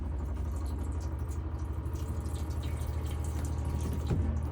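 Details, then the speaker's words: 2018 AutoTrail Tracker motorhome, cold tap opened after pump pressurised: steady pump hum under smooth water flow with no coughing or spluttering, good pressure, showing boiler full and no air in system; normal water flow. "by drawing the water through and making sure that there's no coughing and spluttering and that we've got good pressure, all that really does is prove to us that the boiler is full and that we've got no air in t"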